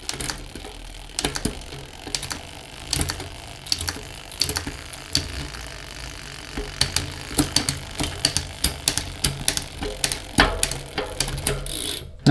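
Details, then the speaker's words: Prevelo Alpha series bicycle with Microshift rear derailleur, after tightening the cable on the derailleur: crisp clicks and chain ticking as gears step through one by one, shifts landing cleanly while checking cable tension; tension about right. "alright so now we're going to start shifting the bike and checking the cable tension"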